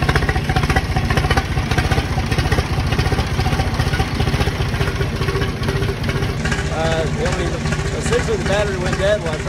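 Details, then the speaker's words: 50-horsepower diesel tractor, cold start from a dead battery using a NOCO Boost battery pack: fires up and settles into a steady, even clattering idle with no hunting or misfire; healthy running. "crank it so from a dead battery to starting a 50 horsepower tractor that's pretty impressive"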